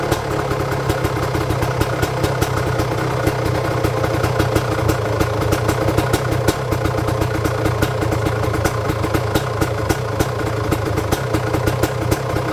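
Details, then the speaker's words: 1999 Honda CR250R two-stroke after installing a new exhaust gasket and springs to cure an oily front exhaust leak: fast, crisp, even popping idle with no hiss or puff at the exhaust joint; quieter than before; normal idle. "It didn't leak whatsoever in the front, and the sound was much quieter in front, because I thought that the engine's noise was much greater before when it was leaking. Now all the sounds come from there, which is great."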